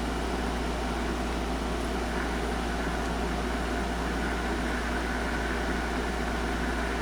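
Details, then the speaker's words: Circa 1962 Magnavox WT-101 handheld 100 mW CB radio, flea market find, probing front end: loud steady rushing hiss with low hum; noisy receiver, owner suspects bad bypass caps in front end, unconfirmed. "That sounds like holy hell, doesn't it? Don't know what I did to make it work that much."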